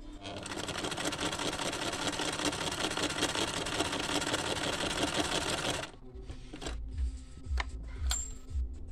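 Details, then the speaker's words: Chaika 144A sewing machine after repair, first run sewing silk at stitch length 2: fast even stitching clatter for six seconds, no stumbles or knocks, then stops; no skipped or pulled stitches, sewing cleanly. "Вот она третья строчка сверху нет ни пропусков ни затяжек ещё раз шёлк шаг тройка тоже самое ни одного пропуска ни одной затяжки не"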